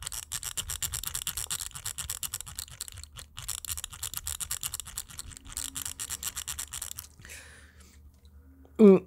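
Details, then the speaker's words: Coolermaster MM710 lightweight gaming mouse: scrolling the wheel back and forth gives rapid, dry ratcheting clicks that sound and feel very harsh and scratchy. "very harsh and you definitely feel it when you're scrolling back and forth"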